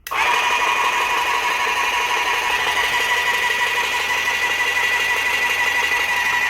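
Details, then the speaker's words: Graco airless paint sprayer after the packings were replaced, run to maximum pressure of about 3,200 psi to check for a filter housing leak, with no leaks seen. Steady motor whine with a faint pulse about twice a second; the pump holds pressure normally. "Alright, so we've hit maximum pressure, sitting at about 3,200 psi. We're looking for leaks. I see no leaks."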